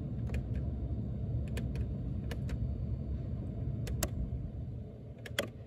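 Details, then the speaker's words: Mercedes-Benz climate vacuum switchover valve unit, engine running, relays clicking as temperature buttons are pressed: crisp irregular clicks over low engine hum, unit switching normally; solder joints on the relays can fail. "avez entendu ça clacote donc là quand on l'ouvre voilà ça se présente comme ça"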